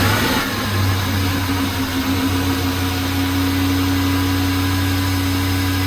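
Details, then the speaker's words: 5.7 HEMI on E85 fitted with a Hellcat supercharger and smaller blower pulley, first start after fuel system reprimed: engine catches and settles into smooth idle with a prominent steady supercharger whine over the rumble; normal, healthy. "That is the coolest sound ever. So first start went well. It was exactly what we would expect. And the whine is really prominent, especially with the smaller supercharger pulley."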